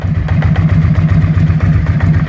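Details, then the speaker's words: 2001 Suzuki SV650 carbureted V-twin cold start on a mild morning: slow, lumpy idle with uneven knocking beat, pops and stumbles, rear cylinder knocking; barely keeps running, improving as it warms and burns fuel better. "it's not a super cold morning or anything so it's still trying to run but you can hear the knock"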